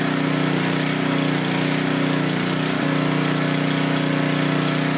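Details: Coleman Powermate 6250 generator, 10 hp Tecumseh engine, after carburetor cleaning, powering floodlights: steady, even hum with a slight dip as load comes on, then settles; runs healthy under load.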